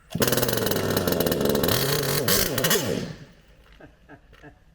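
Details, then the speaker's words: HPI Savage Octane petrol RC car, second run on a cold 9° morning, full throttle while trying to tune the carburettor: small two-stroke revs raggedly about three seconds then dies; owner suspects coil or spark plug. "all right my hypothesis for this is we have definitely got coil problems or or spark plug we've got problems"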